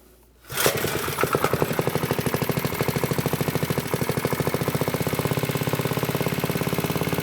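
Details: "Piglet" minibike, Briggs & Stratton single-cylinder after clutch prep, needing some choke, idle possibly set a bit high, bent sprocket: fires within half a second, then quick even putt-putt about three firings a second; running.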